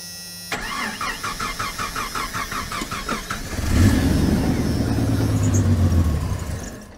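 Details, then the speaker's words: 1990 Jeep Comanche start-and-stall: about four cranking beats a second, catches, runs a few seconds and dies; fuel pressure gauge at the front Schrader valve reads only about 10 PSI, fuel delivery problem. "So that fuel pressure barely even did anything. Let me do it again. Yeah, so we're like at 10 PSI-ish. This is definitely fuel delivery related."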